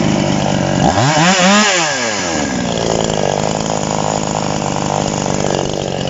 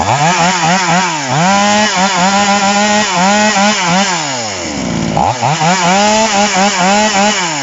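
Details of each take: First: TOMITSU 5800 chainsaw, no bar fitted: blips up and down then holds a thin, screaming high rev; carburetor adjusted too lean, needs backing off for cutting wood. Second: TOMITSU 5800-body two-stroke chainsaw, rim-drive (ring) version, just after initial carburetor adjustment with a screwdriver: crisp blips to high revs falling cleanly back to a smooth, steady idle; carburetor set right, healthy.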